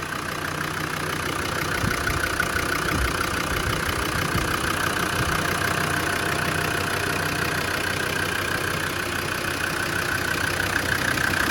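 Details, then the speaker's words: Land Rover Defender 90 turbo, first start after top-end rebuild and redone head gasket, tappets adjusted: even, steady idle with no tappet clatter or knocks; smoky at first but healthy, not revved for about 20 minutes to protect the turbo. "It's sounding really, really good. It's ticking over absolutely beautifully."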